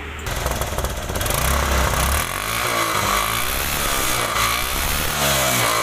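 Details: Stunner bike after drilling holes in a choked silencer: sharp, fast exhaust popping with a steady rough beat and no choked or muffled note; exhaust now flowing freely, pushing a paper held behind it and blowing out carbon.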